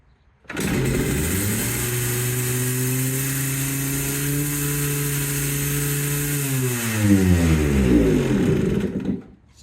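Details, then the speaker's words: Yamaha Blaster two-stroke quad after reclocking carburetor slide (TORS system): fires and climbs to a high steady buzz for seconds without settling, then drops; idle still far too high, less than before, cause not confirmed. "wants to just rev to the moon, but it wasn't as bad this time. Okay. What you saw yesterday was me attempt to start this thing after readjusting the slide in the carburetor, and it still revs really high."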